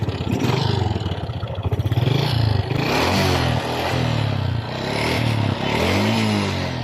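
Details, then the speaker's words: Honda XRM 125 motorcycle with white smoke from the exhaust, repeatedly run low on oil: a hollow, rapid clattering knock from the cylinder block that rises with revs; worn piston slapping in the bore. "So ngayon ang p concern talaga Ang ingay lumlabas sa kanyang makina guys ito ay ang tunog piston slaps"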